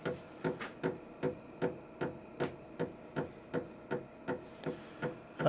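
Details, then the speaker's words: Vevor 8 kW diesel heater with colored diesel, first run before heat arrives: crisp regular ticks about 2.5 per second from the pulse fuel pump, showing it is pumping fuel normally. "This machine has a pulse fuel pump in it, and that's what you can hear. So that means that it is pumping fuel."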